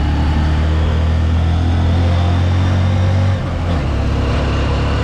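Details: Honda Supremo 150, highway test after new chain and stock 15/43 sprockets replaced a formerly very noisy drive: steady low engine drone on the move with road rush, no chain rattle or slap; chain drive running normally.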